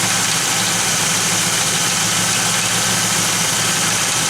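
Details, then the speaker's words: Pontiac Firebird (3rd gen) with rebuilt 1985 Quadrajet carburetor: stethoscope on an accessory gives only a smooth, even hiss, no grinding, chirp or knock. A noise that vanishes with the serpentine belt off is suspected to be the water pump. "That is smooth as can be now, no noise. Great. It's got to be the water pump."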